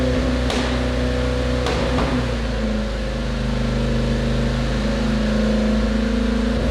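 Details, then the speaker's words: Volvo 145 with a newly installed fuel pump replacing a leaking one: the idle stumbles unevenly with occasional hiccups and smooths with throttle. The idle mixture is way too lean but fine around 3000 rpm; tuning is still needed. "okay you can hear the kick up so it's it's because it's too lean"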